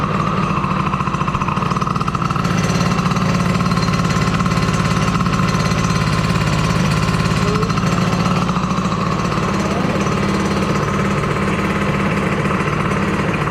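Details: DRR 90 small single-cylinder engine just after water pump rebuild (damaged shaft caused seal coolant leak), coolant topped off: fast, even beat with no misses, knocks or hunting; running clean and healthy.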